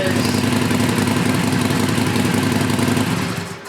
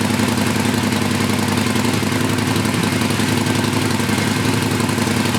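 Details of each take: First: Used Harley Sportster restarted with the stock exhaust after the heat shields were fitted. A steady, loping V-twin idle with an even beat and no rattle from the pipes; it sounds healthy. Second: Used Harley Sportster started after a stock exhaust was fitted in place of Vance and Hines Short Shots. The heat shields are not in place, so a loose metallic chatter rides on every beat of the lumpy V-twin idle.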